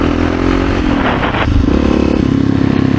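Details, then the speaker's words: 1986 Honda HRC XR628R (XR600) dual-carb single on road test after rejetting: engine pulls cleanly and strongly, front wheel lifting in first and second gears, no pops; normal acceleration. "Front tire comes up with ease. First and second gears, right off idle. Oh yeah. Oh wow. What a difference."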